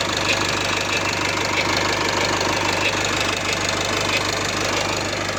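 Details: Nissan with M9R diesel at cold start: a light, uneven ticking knock at about three per second over a steady idle; the extraneous noise disappears once the engine warms up, source not yet pinned down.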